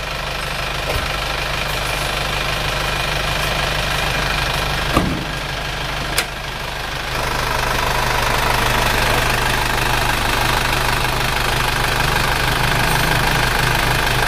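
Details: Isuzu Panther diesel after an engine overhaul, warm idle at 90 °C engine temperature: steady, even clatter with no misses, knocks or surging; exhaust smoke now much reduced though a little remains; healthy.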